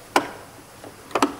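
Sharp, crisp clicks from a fuel shutoff solenoid snapping open and shut as the key is switched; it works normally.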